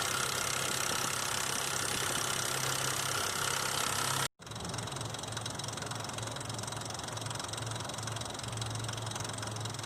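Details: 2005 Nissan Xterra VQ40DE V6 idling with fast uneven tapping rattle; timing chain slapping because tensioner not riding properly; replacing chains, guides and all three tensioners cured the noise.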